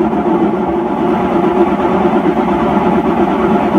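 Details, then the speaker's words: Hotpoint (GE) washer in spin cycle after the lid locks: low steady roar with a faint rumble that grows louder as the drum spins up; the drum should not be this loud, worn drum bearings. "And you can hear during that test, you should not be able to hear that drum spinning that loudly. It's obvious that the bearings have gone."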